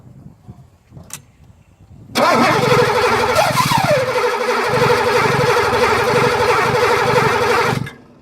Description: 83 380sl will turn over but won't start.